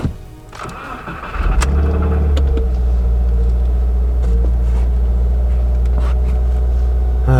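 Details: Subaru WRX after clutch replacement, first start: brief crank, then a clean catch into a steady, even idle with a low rumble. Starts and settles fine.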